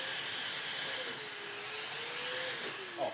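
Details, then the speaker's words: Restored Electrolux D820M (Lux 1 Royal) vacuum cleaner with the hose blocked: a steady airy roar whose motor pitch sags, then climbs back once unblocked; normal automatic suction power ramping. "And this machine, when you block it, ramps the power down and then ramps it up afterwards."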